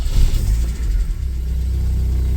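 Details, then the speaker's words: 1980 Porsche 924 with mechanical fuel injection, cold start that needs a throttle blip before it idles. Quick blip, brief revs, then a steady even low rumble; oil pressure light out immediately, clean cold start. "there it is. That was a cold start."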